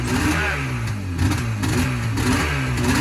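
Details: 1978 Yamaha RD400 two-stroke barn find, first start since 1993 after carb work: revs up and drops back in repeated crisp blips, responsive with no misfire or stumble. Normal running.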